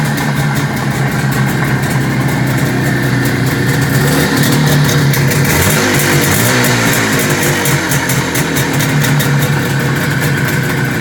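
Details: 1973 IZH Jupiter 3 350cc two-stroke motorcycle with 6-volt system, revived after years unused with points set, carb done and wiring repaired: loud crackling beat at a steady idle with light blips, no misses; normal two-stroke idle.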